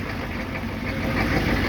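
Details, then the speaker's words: 1995 Chevy 3500 one-ton with 6.5L diesel just after cold start: hard clattery idle with uneven knock, truck shaking and smoking heavily; rough cold idle, cause unknown. "truck's shaking wow smokey yeah folks were about to get smoked out"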